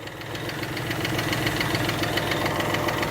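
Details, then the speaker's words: Chrysler 3.5 V6 (early build, not a 3.6 Pentastar) idling with a quick light regular valvetrain tick; the fix used for this ticking was replacing the complete rail. "What we was doing to fix this ticking noise was replacing the complete rail."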